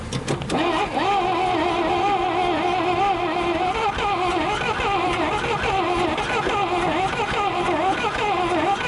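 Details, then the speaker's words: 1962 Dodge 100 unrun for 25 years, cranked on jumper cables with fuel poured in the carburetor: slow, uneven cranking of wavering pitch with occasional firing pops but no catch; no start. "well, she's definitely trying. Sometimes you just want to be kind of patient with them so you don't burn the starter up."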